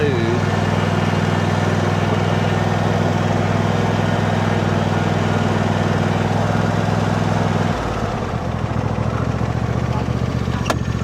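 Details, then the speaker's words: John Deere D130 riding mower single-cylinder engine after electrical repairs, jumper pack connected, charging checked: steady, even drone at constant low pitch, no misses, knocks or surging; running smooth. "So, we'll give it a whirl. Heat up Nice and smooth."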